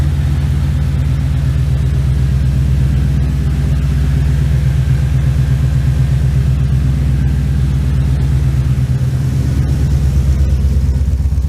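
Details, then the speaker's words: 1989 Ford Ranger with Coyote V8 swap, after timing correction, no coolant: deep rumble with steady, even exhaust pulses, no misfire, stumble or rattle. Runs clean. "Yes, she sounds good."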